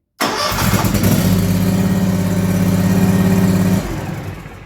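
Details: Bad Boy Revolt 48-inch mower that died and wouldn't restart, after pushing the magnet back into its cup so the sensor reads OK: cranks and catches at once, settles into a steady, even idle with no misses or knocks, then shuts off. Healthy start.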